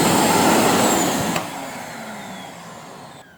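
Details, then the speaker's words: Panasonic MC-CJ911 2100 W vacuum cleaner after repair, blower function tested: strong, even airflow with a clean motor whir and smooth wind-down. The noise came from damaged bearings and the smell from worn carbon brushes. Fixed by fitting a new 2000 W motor. "Vấn đề đã được giải quyết, giờ có mùi hôi và tiếng ồn, mọi thứ đã hoàn tất , tiếng ồn là do ổ trục bị hỏng, mùi hôi là do chổi than, vấn đề đã được giải quyết, giờ thiết bị này hoạt động tốt, hãy kiểm tra chức năng thổi của nó, thật tuyệt"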